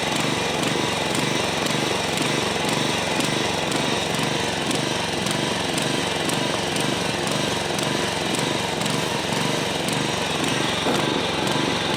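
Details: Old John Deere 14SB push mower, trash find, rope instead of missing recoil, carb only removed and inspected, at half throttle: uneven pulsing beat roughly twice a second instead of a steady drone; runs rough, owner thinks carburetor needs a rebuild.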